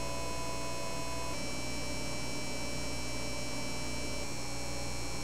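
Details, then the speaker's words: Repaired Laing DDC pump with new DIYINHK PWM PCB, speed lowered in BIOS, microphone right next to it: smooth steady hum stepping down twice, quieter each time; max 5200 rpm, above a factory max believed to be around 4200–4600. "so as you can hear there is definitely some audible noise difference in the rpm ranges 5200 RPMs that I'm getting off of this at max is above the factory speeds"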